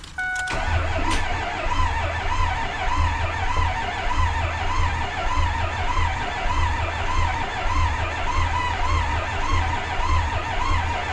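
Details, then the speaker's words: 2004 Ford F250 Super Duty 6.0 Powerstroke diesel after new head gaskets, studs, rebuilt turbo and new oil cooler, fresh 5 gallons oil, fuel pump unhooked: steady even cranking to prime oil, no catches or knocks, turns over freely. "Let's get in here and uh turn it over a few times and uh see how that goes."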